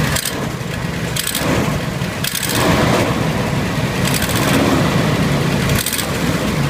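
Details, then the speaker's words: 1992 Buick Roadmaster wagon 5.7 V8, 195,000 miles, cold start after a week or two sitting: rough idle, light uneven tick and sharper bursts, worse under load; owner suspects exhaust leak despite new manifold gasket, unconfirmed. "anyway when you're driving the car you know and of course it has a load on the engine the ticking the chugging sound is just so apparent and it's awful at driving"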